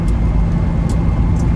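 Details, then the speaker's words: 30-year-old Land Rover Discovery V8 climbing a steep 15-20% mountain grade, downshifted from 5th to 4th, 3,300 rpm at 70 mph: deep steady drone pulling hard over road rumble; healthy running under load. "V8's making some nice noises, and yeah, so I'm back in the power band, 3,300 RPM at 70 miles an hour, and I feel much better about it."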